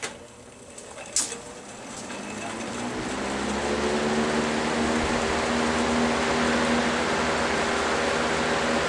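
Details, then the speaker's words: GE W 25 box fan after repair of worn single bearing that let the rotor drop and hit the stator, clearance opened up: smooth steady motor hum, no rubbing or scratching, only slight normal motor vibration. "sounds great still got a little bit of vibration just from the motor running but that's normal"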